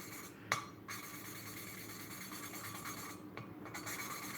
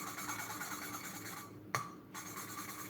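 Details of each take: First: Hand-lapping a valve into its seat on a Peugeot 307 1.6 16v cylinder head during a sludge and carbon rebuild, with 10W40 oil as lubricant: rhythmic gritty rasping strokes, turned and rotated with a tap every few seconds, growing smoother and quieter as the pitted seat beds in. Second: Peugeot 307 1.6 16v cylinder head valves hand-lapped with 10W40 oil; the seats were pitted and the head full of sludge and carbon. Dry gritty scraping strokes with pauses as the valve is rotated; the seat is still rough and needs more lapping.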